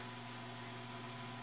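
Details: Newly bought automatic egg incubator on its first test, warming past 32 °C toward 34 °C; low even fan hum with a steady tone and no rattle, scrape or wobble, running smoothly.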